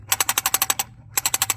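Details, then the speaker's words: Porsche 993 idle control valve removed and cleaned with carb cleaner, shaken by hand: crisp metallic rattle of about ten quick clicks a second, showing the valve has freed up, though not perfectly clean. "I reckon she's freed up quite quite a bit so give it a clean out in there it's not perfect just hearing that rattle"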